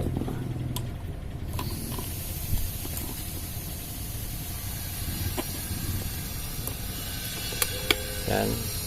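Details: Electric fan motor (dynamo) after repair; a soft steady airflow hiss with a low even hum, no rubbing, rattling or grinding. The repaired fan motor runs smoothly.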